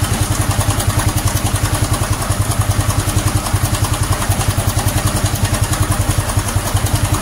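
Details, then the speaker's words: Honda Supra X 125 FI after fitting racing valve springs: idle with a harsh, even metallic clatter over every beat from the cam chain area, worse than the usual chain rattle and intolerable. Owner links it to a minus injector; engine to be opened. "Ini sudah muncul ya, Teman-teman. Bisa didengarkan sendiri suaranya cukup menyeramkan dan sudah di tidak bisa ditoleransi."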